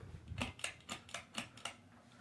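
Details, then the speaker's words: Hampton Bay Littleton 42-inch ceiling fan on medium speed: sharp even ticking/buzzing about four times a second from its loose glass globe; fan was silent before. "and the buzzing you hear it is indeed coming from the globe of course every huggers annoying part"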